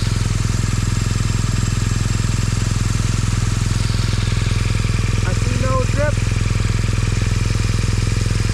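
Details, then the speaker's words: Motorcycle engine after field repair of a cracked cylinder head, sealed and now not leaking fuel; steady even idle thump about three beats a second with no knocking or misses: normal idle. "cylinder head sounds good nothing's knocking weird i say problem fix and we ride"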